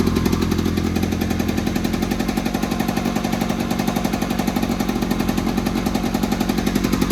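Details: 1970s Attex ST300 6x6 small single-cylinder petrol engine after the rectifier was remounted and a fuel-pump ground fixed, started without the fuel pump: steady fast idle, firing evenly with no knocks or misses; normal idle.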